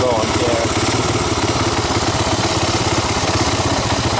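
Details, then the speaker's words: 1985 Honda ATC250ES Big Red 250 three-wheeler single-cylinder, warmed up with the choke off, after a carburetor swap and adjustments (valves untouched): even, steady idle with no misses or knocks, a normal idle. "engine but I haven't done anything with the valves or or anything it's not bad not a bad idle chokes off warmed up at this point"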